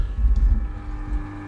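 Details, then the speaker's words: Small temporary aquarium pump of low capacity running loud: deep humming drone with steady low buzz and fluttering rumble, noisier than expected for its size and drawing more power than its replacement Jebao pump; noisy pump due to be swapped out. "It's quite noisy. So given that that's quite a low capacity pump as well, the amount of noise that it puts out and the amount of power that draws more power than this."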